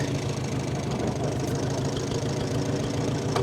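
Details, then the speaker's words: 1945 Farmall H four-cylinder tractor, long sat, started to drive off the trailer: uneven, lumpy idle with irregular thuds and some clatter. Running better than before but still rough. "I don't want to jinx myself but it's running a lot better woo woo we made it we made it we're [Music] running woo she's running not well but she is running"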